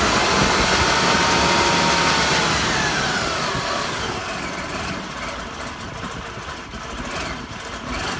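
Engine catches and settles into an uneven idle with a chuffing pulse about three times a second; rough running, cause not pinned down.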